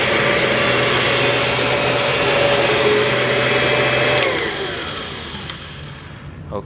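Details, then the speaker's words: 1996 Kirby G4 vacuum cleaner after new motor bearings, transmission untouched; steady high-pitched whine over the motor roar that fades as it spins down, pointing to a worn transmission; transmission whine. "obviously that did not help the transmission wine at all and I can't say I really expected it to because we didn't touch the transmission"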